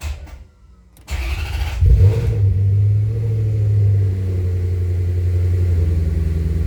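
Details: Maserati GranSport with hard starting after alternator replacement (fuel rails, injectors, intake manifold removed); starter whirs under a second despite holding START, then it catches, flares and idles; runs fine once started, no codes, hard starting.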